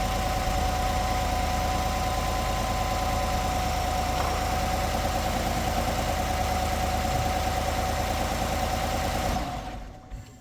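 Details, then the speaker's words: Truck cranking on a new solid-state battery that replaced a weak lead-acid one: brisk, even chugging about three beats a second, faster than before, voltage dipping only to 12.28 V versus about 10 V on the old battery; normal cranking. "I definitely noticed that it cranked a lot faster."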